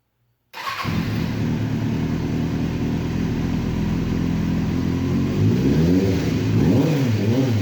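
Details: 2005 Kawasaki Ninja 636 four-cylinder with Yoshimura exhaust, first start after rebuild from years sitting in a shed; fires after short crank, crisp even idle, clean rev and smooth return; healthy.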